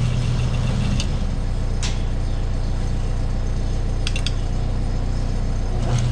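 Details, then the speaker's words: Overhead garage door opener blinking two times, meaning no rpm input during movement: a steady electrical hum with the motor not turning when open is pushed, though it keeps running once helped going. The start capacitor has failed. "all right so we can hear it humming if we push the open button and then as it goes um once we get it going it keeps going but it just won't start which pretty well tells us that the capacitor here is what's given out"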